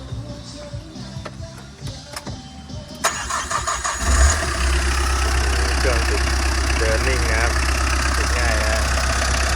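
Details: Tata diesel after repair of knocking noise and front oil leak (crankshaft, oil pickup, oil pump, sump replaced): starter cranks briefly, engine catches and settles into a steady even idle with no knocking; music underneath.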